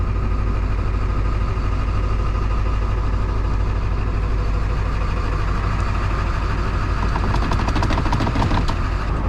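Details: 1999 Ford F250 Super Duty 7.3 Powerstroke diesel, abandoned over 6 years, just started: even low idle clatter, steady speed, no knocks or misses, plenty of oil pressure; healthy idle.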